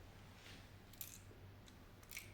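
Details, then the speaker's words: Quad Era-1 headphones shaken side to side make sharp little clicks in the right ear cup, from a small loose screw rattling inside its compartment, possibly loosened in transport. "there is a small screw that with the maybe with the traveling uh that small scr"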